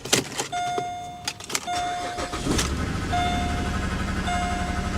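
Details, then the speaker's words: Engine on a cheap C4 Corvette with some miles catches after cranking over a door chime, then settles into a lumpy, uneven idle with a dead miss like a dead cylinder; check engine and traction control lights on; rough running, misfire. "Well, that doesn't sound healthy. Ooh, definitely a check engine light. Dead miss. Traction control. She don't sound happy at all."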